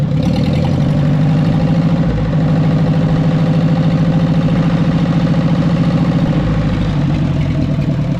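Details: 1944 Ford 2N tractor after carburetor cleaning and refitting the generator belt, no temperature gauge fitted: low, lumpy idle with an uneven knock about three beats a second over the exhaust; the source can't be pinned down, cause unconfirmed.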